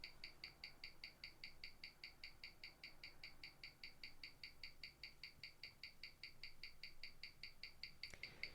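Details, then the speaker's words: James Bond 007 Gruen Precision 510 17J starburst watch on a Weishi 1000 timegrapher with a 60-second reading. It shares its movement with the Masonic-dial Gruen and reads +32 s/day, twice as fast, with 0.0 ms beat error; crisp, perfectly even ticking at about five beats a second. "the readout on this one it's plus 32 seconds a day meaning that it's twice as fast as the masonry dial one the James Bond one is"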